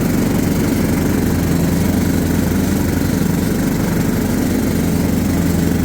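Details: John Deere LT150 mower with replacement 15 HP Kohler engine, freshly swapped and mowing grass: full, steady low thrum, no misfires or surging as blades cut; pulls the load cleanly.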